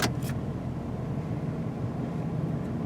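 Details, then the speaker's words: 2000 Ford F150 5.4L, warm after a test drive, idling in Park after cleaning the dirty idle air control valve to cure surging: steady, even low V8 rumble, no hunting or surging; normal idle. "ok back from the test-drive here so you can see the engine is warmed up still in Drive idling perfect put it in park"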